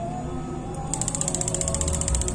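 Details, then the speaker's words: Paloma gas water heater bench test of the solenoid (plunger) and ignition module: a single click, then even rapid ticking about a dozen times a second; solenoid pulls in and igniter sparks, both normal. "Ah, solenoid berfungsi saat dilepas, kan ? Oke. Jadi, modul dan solenoidanya, insya Allah, masih normal."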